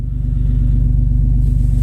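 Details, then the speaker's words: Toyota 4Runner after new ignition coils were fitted to cure a P0300 misfire code. It now idles steady and even with a smooth, regular pulse and no misfire stumble or skipped beats. "is purring perfectly that's what we wanted"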